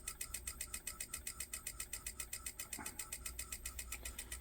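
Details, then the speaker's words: 1985 Pioneer PD-5010 CD player bought as not working: quiet regular whirring pulses about twice a second as the disc motor strains and fails to spin up; possibly not enough weight on the disc, probably no data lock. "It tries to spin. Okay, so it's possible that there's not enough weight on that, so you can hear it actually trying to spin up."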